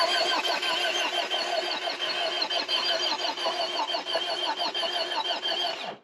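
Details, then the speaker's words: 1979 Toyota pickup with a built engine, sitting for years with the key unused for two. The starter churns it over evenly for six seconds without catching; it cranks but won't fire because the fuel tank is empty. "i don't think it's going to start let's put some gas in it oh yeah that sounds empty"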